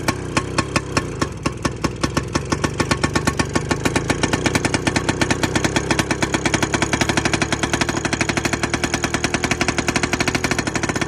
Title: 1960 Crawler Tractor Hard Start#short #shorts #shortsvideo #auto#mechanic #automotive#viral